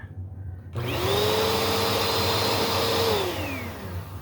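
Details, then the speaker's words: Bissell Powerforce Helix vacuum, blue unit, after adding a bearing: motor spins up quickly to a clean, steady hum, no rattle or scrape, winds down smoothly; runs close to brand new. "Yeah, that's real close to brand new."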